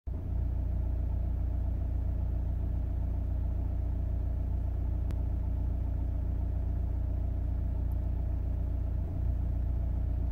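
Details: 2002 Audi A4 B6 1.9 TDI PD130 AWX diesel at idle: steady idle with brief stumble, occasional dropped beat; intermittent misfire at idle.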